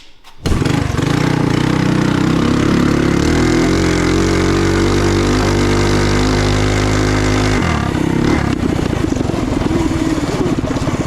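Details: Trail Master MB200 mini bike with Stage 3 223cc engine and open exhaust, after swapping rubber engine-cradle bushings for metal ones: revs up hard and holds a strong even drone, chain no longer skipping as it badly did before; normal running.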